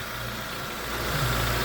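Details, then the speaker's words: 2011 Jeep Compass AWD 2.4 L, normal idle just after alternator replacement and belt refit: even low hum with no belt or alternator whine, engine smooth and steady; alternator measured putting out 14.6 volts, everything running okay. "We'll start it up and check, make sure everything's running okay. Well, it seems to be okay. Yeah, everything looks pretty good."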